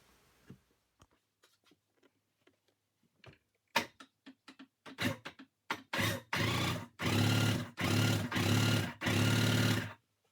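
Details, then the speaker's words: Cheap Marketplace Sea-Doo being rebuilt, cranked on a new battery. Spark plugs are out and oil has been put down the cylinders. Taps and clicks, then repeated even one-second cranking bursts. The engine turns over freely and is not seized. "all right so as you heard it turns over so now we're gonna go ahead and uh flick some spark plugs in"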